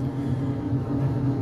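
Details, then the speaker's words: Carrier package rooftop unit not cooling (clogged liquid header being replaced): steady deep throbbing rumble pulsing unevenly like a Kawasaki motorbike, caused by an air gap under the improperly sealed roof curb. "do you guys hear that sounds like a kawasaki doesn't it well when I was here originally to diagnose this unit I found there's a there's an air gap underneath this curb and it's causing that noise because I wasn't sealed properly"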